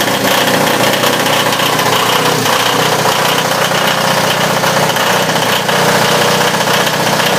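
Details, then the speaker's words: Onan DJB 6 kW diesel generator, cold start in a cold shed (22°F that morning, about 48°F now), new muffler, mic inside shed: catches and settles into loud, slightly rough but clean even clatter while warming up; normal. "little warm up see the G step back a little bit yeah now it's really loud cuz we're inside"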